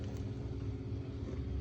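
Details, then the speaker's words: Spirit Halloween animatronic (possessed pumpkin, back-and-forth mover) plugged in: it talks and its motor hums steadily and spins freely, but the mechanism doesn't engage or move. "But basically, if I plug him in right now, he talks, but he won't actually engage. You can hear the motor. You can hear the motor just spinning."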